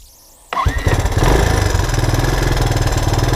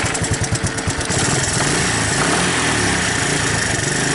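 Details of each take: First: 1984 Honda ATC 200ES after carburetor cleaning, cold on choke: quick crank, fires within half a second and settles into a steady single-cylinder idle with no stumbling; idle needs raising slightly. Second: 1984 Honda ATC 200ES Big Red, sat a while and wouldn't throttle up from idle, just started after carb cleaning, on choke and cold; slow, uneven single-cylinder chugging, idle set too low and needs turning up.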